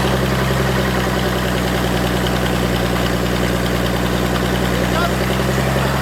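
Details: Forklift engine after thermostat install and fuel pump swap/rewiring, started with ether after priming fuel: steady, even low rumble with no misses or stumbles; smooth normal idle. A knocking heard was a loose hydraulic pump.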